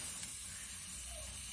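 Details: Pressurized hot-water line from the combi boiler outlet with a leak, heard during acoustic pipe listening for leak detection: steady high hiss with a faint spraying edge from escaping water.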